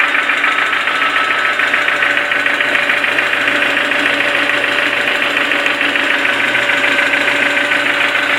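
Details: Toyota 4E-FE engine at idle, knock that started suddenly: sharp, regular metallic knock about three and a half per second, steady throughout; clear internal engine knock, cause unknown.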